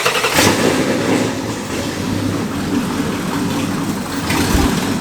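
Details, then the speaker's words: Camaro with Ford Mustang Coyote engine swap, first start after about two years of work, fresh oil: catches quickly into loud even idle, no ticking or knocking, Coyote startup tick gone; fuel pressure around 35, earlier low. "That sounded good. I didn't hear any weird noises."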